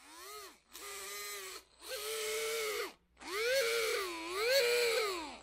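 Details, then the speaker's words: Titan 21-turn 550 brushed motor from a TRX-4 RC truck, powered on: short squealing bursts, pitch bending with throttle; motor needs cleaning of dirty brushes and commutator. "super squeaky horrible noise you know what it sounds like you maybe had it happen"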